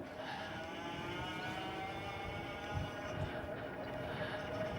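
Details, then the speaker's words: Euphree Stellar Falcon hybrid e-bike with Bafang hub motor, torque and cadence sensors, while pedalling: steady faint high whine over wind and tyre noise, the normal hum of this motor, no fault. "and this is not uh a fault of the you at all this is just um the way I think the buang motors are buang Motors I've noticed tend to have a little bit of a a wine whing to it you can definitely hear the motor right"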